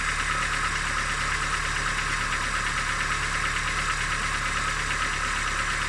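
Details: Engine at idle with a faint, fairly steady tapping about three times a second under a loud hiss; an engine knock of unknown origin.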